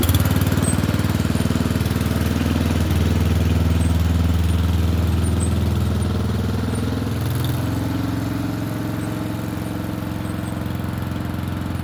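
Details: Murray Select 30" riding mower test-driven up and down a driveway: steady, even low drone with only a slight easing of speed; running okay, a little better, though the owner notes carburetor and gas tank issues.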